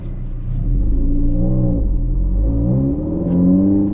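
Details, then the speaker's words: 2023 WRX with STI drivetrain swap, BL54XR turbo, J-pipe, 400-cell cat replacing primary, secondary resonator removed, 93-octane tune, twin-disc clutch: deep throaty exhaust rising smoothly with revs under acceleration, a little louder than stock, running clean. "It's a little louder, too, now cuz uh no more secondary resonator and we swapped out the primary cat for a 400 cell gzi."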